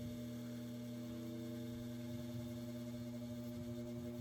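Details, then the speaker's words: Westinghouse 12" table fan from the late 1960s/early 1970s, two-speed shaded-pole motor with plastic blade, running stationary: steady electrical buzz with strong low hum; motor quite buzzy. "motor is quite a bit buzzy and definitely go and let it coast"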